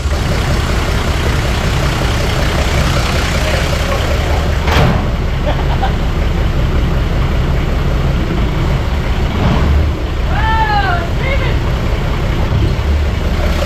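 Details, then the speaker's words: 41-year-old Toyota Landcruiser HJ47 diesel, ex-paddock hack, just after its first start following cleaning: settles into a steady, even rumble with no misses or knocks under some yard noise; running healthy. "So she fired up beautifully, and I really thank Tim for his help."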